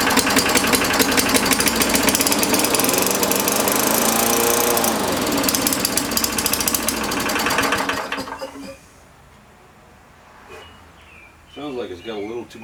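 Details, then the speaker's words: MTD Yard Machines push mower small engine, first start after blade work, cracked primer bulb: screams high for about eight seconds; over-revving, owner suspects governor tension and a dirty, oil-fouled carburetor needing cleaning. "tension on that governor sounds like it's trying to over rev now that soldier was full of oil and junk so well i probably need to pull the card apart and clean it so"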